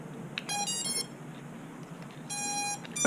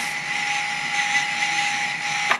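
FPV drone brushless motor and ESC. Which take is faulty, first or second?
second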